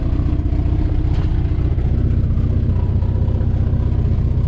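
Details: Volvo B20 engine, first start after years of sitting, after new float-bowl O-rings and fresh fuel: catches and holds a fast, lumpy, uneven idle, not firing cleanly on every cylinder; rough running.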